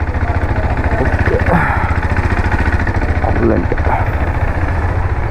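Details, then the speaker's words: KTM RC 390 after timing chain, clutch cover, head and bore gaskets and seal replacement for an engine noise complaint, warming up: steady even thumping, about three or four pulses a second, at idle with no knocks or rattles; normal, noise fixed. "ನೋಡಿದ್ರಲ್ಲ ಗಾಡಿ sound so ಈಗ perfect ಆಗಿದೆ ಅಂತ ಅನಿಸಿಕೊಳ್ಳುತ್ತೇನೆ"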